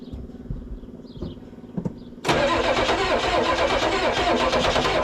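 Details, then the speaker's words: 1994 Ford crew cab, newly acquired project, sprayed with starting fluid: a couple of seconds of labored cranking with a few pops, then it catches into a steady rattle. Hard start; owner suspects a weakening battery and unknown fuel supply. "It tried popping a few times. Um, battery's getting weak."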